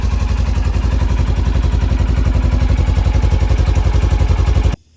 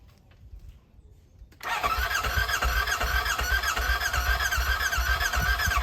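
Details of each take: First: Fire-damaged Polaris RZR rebuilt and started with starting fluid: steady, even putter about three or four pulses a second with no misses or knocks, then clean shutoff; engine running healthy. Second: Burnt RZR rebuilt with new wiring harness, fuel line, fuel rail and sensors: starter whirs with a regular chug about four per second for four seconds but never fires; suspected broken battery connector or nearly dead battery.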